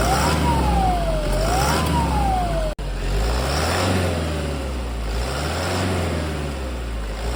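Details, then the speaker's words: 2010 Toyota Hilux KUN26R 1KD turbo diesel at 291,000 on the odometer, with a newly replaced turbo (the old one whistled): idles and revs cleanly with no whistle, siren in background; healthy turbo diesel engine. "yeah that's a different of a new turbo in a broken turbo and this is already 291 000 already"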